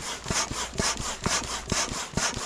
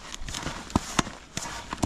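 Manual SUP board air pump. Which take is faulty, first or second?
second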